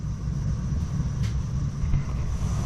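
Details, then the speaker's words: Weil-McLain EGH steam boiler after fitting an M+MG2 12" barometric draft control: deep, steady low rumble with an even roar, flame sometimes kicks out but goes back in, stabilizing and modulating; normal burner operation. "you can hear the flame operating normally you can see sometimes it kicks out but it goes back in stabilizing it's modulating"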